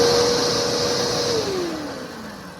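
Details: Vacuum just refitted with a working belt on the brush roll: smooth motor whine falling steadily in pitch as it winds down, with no belt slap or grinding; normal running.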